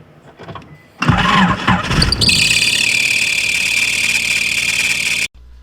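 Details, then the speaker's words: Car engine with swapped motor cranks and catches, then loud steady high squeal from the alternator belt at idle; loosening tension did not cure it. "so now that we know the tension isn't the issue and we know exactly what belt it is there has to be something else wrong here"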